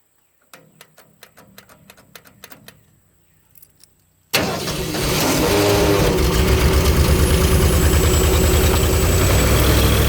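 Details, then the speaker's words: Ford 302 V8 powering an air compressor, stock cam, pistons and crank, distributor turned over to suit firing order, after tune-up with new plugs, plug wires, cap and rotor: slow cranking, then catches and runs steady and even at raised speed, no misfire; smooth running. "does sound a whole lot better too since I did a tune up on it. New plugs and plug wires, cap, and rotor. So it's run a lot better. Sounds better too."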